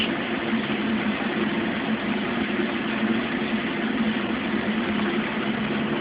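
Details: Mueller Special Brazilian washer, cold-fill-only machine that heats water itself, duvet load on 60°C wash with extra rinse, start of cycle: even steady hiss of incoming water, no knocks or hum changes; normal cold fill.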